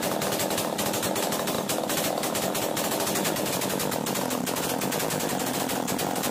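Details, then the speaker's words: Chainsaw after the top idle screw was backed off to cure racing following a starting-problem repair: rapid, even two-stroke popping at a steady low speed, no surging or dropouts; normal idle. "जैसा कि देखा आपने machine start करने के बाद मैंने twinning को कम किया और मशीन जो है वह स्लो हो गया"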